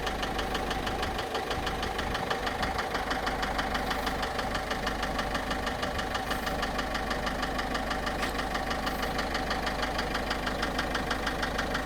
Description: Voici une vidéo concernant un bruit moteur sur ma voiture